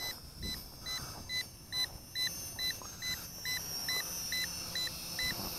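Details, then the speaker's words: SHRC H1G GPS FPV drone on a 7.4V 850mAh battery, in flight near the pad: steady controller chirping beeps about twice a second over faint motor hum and wind, the low-battery warning to bring it home. "now again when you hear this low battery beeping you really should be bringing the drone back home to you close to you close to its takeoff point"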